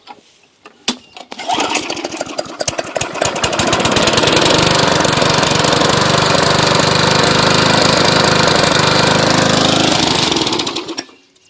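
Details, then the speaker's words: Lawn mower after moving its engine onto a different deck, blade reattached, primed: catches after a few pulls, climbs to a strong, even, steady buzz, then shuts off cleanly; runs and cuts fine. "Got the blade hooked up and everything. Everything works good."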